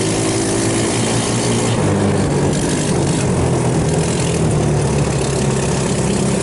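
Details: 150cc GY6 Hammerhead off-road go-kart after a carburetor rebuild that cleared water and jelly-like fuel contamination: engine runs steady and even with a smooth low drone, no stumbling or surging, idling cleanly. Normal running.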